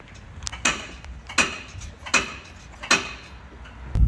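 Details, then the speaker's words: Sway bar end links with worn blue top and bottom bushings causing metal-on-metal contact with the shaft: four hollow metallic clunks about three-quarters of a second apart; worn end links. "these sway bar end links that I replaced earlier in the semester. Um these will go out and start causing a loud loud clunking noise."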